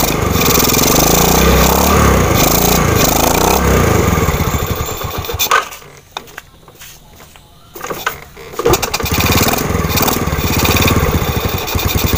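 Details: Underbone (bebek) motorcycle single-cylinder engine restarted right after a spark plug replacement: a steady, rapid putter that dies away briefly, then picks up again and runs evenly without misfiring.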